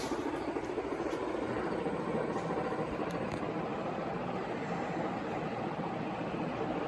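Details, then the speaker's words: Carroway EF300 industrial ceiling fan on high: steady, even, loud rush of blade wind noise, no knocks or rubbing; bearings fine but starting to make a little noise. "yeah this thing is fast and loud it's a lot of wind noise coming from it the bearings are all right they're starting to make a little noise though"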